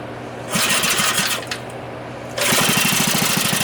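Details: Free dirty small single-cylinder engine with bent rod and repeatedly welded pulley, reassembled and given gas; catches after a couple of tries and settles into a quick steady popping beat, running properly.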